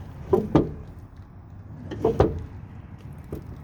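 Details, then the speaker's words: Chevy Express 3500 van after installing a new Dorman door check strap, replacing the old squeaky one: two pairs of soft clunks as the door swings open and shuts, with no squeak or creak from the strap. Quiet door check strap. "Oh, and not loud at all. Nice. No noise."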